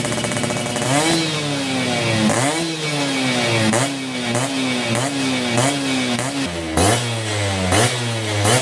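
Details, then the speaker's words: Yamaha F1ZR Millenium two-stroke (YP2 block) during a teardown and restoration, original manifold rubber with a chicken feather found inside; crisp ringing buzz blipped up and down, pitch following the throttle, no clatter; normal healthy running. "Nah ini guys, renyah suaranya ya."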